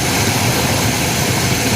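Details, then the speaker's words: 1979 GMC Caballero V8 abandoned about eight years, now running on its own: smooth, steady idle with constant hiss, no knock or miss; healthy idle, though the mechanical fuel pump is leaking. "I took another one that has been sitting for an ungodly amount of time and I got her running on her own. Listen to that, guys. Listen to her purr. Wow."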